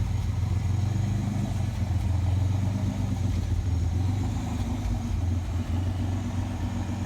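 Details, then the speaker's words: 1986 Pontiac Fiero SE: low, uneven idle with a lumpy, stumbling beat and occasional dips; skipping, owner suspects an exhaust leak affecting fuel injection, not confirmed. "Hear it running, sounds like it's skipping. An exhaust leak, probably affecting the injection system to run at a nice idle."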